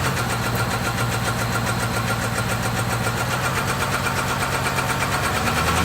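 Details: 6.1L SRT8 HEMI V8: uneven, lumpy rough idle and run with a light irregular ticking about three to four a second; random cylinder misfire.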